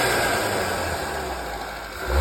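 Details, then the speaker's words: Skoda with newly installed eBay pod filter intake, first test drive: engine revs with loud intake rush under power, then hissy whoosh as throttle closes; healthy turbo blow-off. "Obviously, when I give it some power. Oh, dude. I don't know if you guys can hear the blow off."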